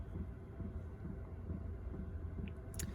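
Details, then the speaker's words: Chinese diesel heater in a van, 40°F, after an apparent fix for on/off cycling and error: quiet, steady low rumble with soft, regular pump ticks, blowing good heat with no error, normal running. "Down here, it is blowing out good heat. And at this point, I would have already had would have gotten an error. So I think I did fix the problem."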